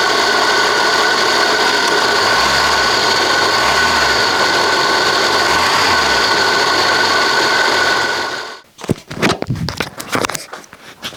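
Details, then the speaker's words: Citroën BX with engine idling: a loud, gritty grinding whir with a high whine from the suspension and brake hydraulic pump; it still works but the owner suspects its bearing, and it is removed for a used replacement. "It's working just fine, but it sounds really bad bearing like uh it probably won't make any issues, but it could of course lead to a failure of the pump. But the main thing is that the noise is really annoying."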